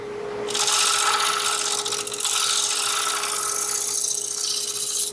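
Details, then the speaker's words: Turning a thin-rimmed spalted maple bowl on a lathe: hissy cutting with fast rattling buzz and ringing tone as the rim vibrates/resonates against the tool, risking an unclean cut, a catch, and the bowl breaking apart. "That's vibration or resonance chattering. That's why you don't want to come back out here to the edge of the rim once you've got the bolt out of the middle, because it'll start to vibrate and you won't get a clean cut and you will get a catch and the bowl will come apart."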